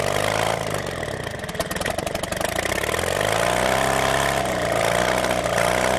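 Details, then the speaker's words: Homemade experimental Bourke engine: runs continuously with a humming note rising and falling as the throttle is adjusted, no spitting or sputtering; running considerably better than last time. "considerably better than it ran last time i saw it ran this time yeah it just didn't sit there and spit and sputter"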